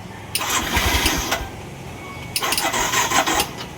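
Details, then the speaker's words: Yamaha YTX 125 single-cylinder motorcycle, normally fitted with a sidecar, long-standing fault of not moving when clutch released, now also misfiring; two short bursts catching, sputtering unevenly and dying within a second; rough misfiring, won't stay running. "YTX Yamaha 125. Ang issue nito ay ayaw umusad. Ah palyado yung andar."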